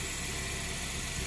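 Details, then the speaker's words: After the fix on a 2006 UK Honda Jazz, steady even idle with a smooth hum and no squeal, rumble or grinding; the seized, disintegrating AC compressor pulley bearing that caused loud knocking from the front right was replaced with a second-hand pulley. "with the engine running the pulley now is nice and quiet it's making a terrible noise before"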